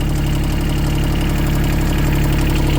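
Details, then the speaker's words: Yanmar 3TNV70 three-cylinder diesel newly swapped into CAT 300.9 mini excavator, just started without glow plugs: deep, steady thrum at constant idle, even beat with no misses; quiet, no smoke, healthy. "It's quiet as a mouse. No smoke. I got to put the other uh I got to put the other weight back on. But yeah, sounds good."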